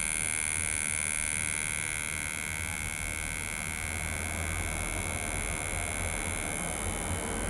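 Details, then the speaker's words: HP laptop just powered on: buzzy high fan whine with a rough scraping edge, suspected fan blades hitting something inside; to be disassembled, possibly fan replacement. "this laptop you can hear that the fan is making a song they can be a possible jump where the fan is hitting on something"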